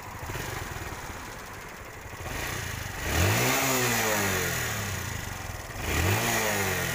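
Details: TVS Star City 110cc motorcycle after fixing exhaust popping/misfire by spark plug setting: two clean throttle blips rise smoothly and settle to idle with no pops or crackles from the exhaust; normal revving.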